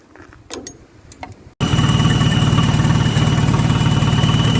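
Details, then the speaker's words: Oliver 550 gas tractor, carburetor idle screw found fully closed, belt squeaks: fast slightly uneven idle about three pulses a second, won't go below 1,000 rpm, low jumping vacuum; suspected cylinder head problem, possible burnt exhaust valve. "no matter what we do we can't get this thing to idle anything below 1,000 RPM and it just brds you can see we've got low vacuum and it's jumping all around like that"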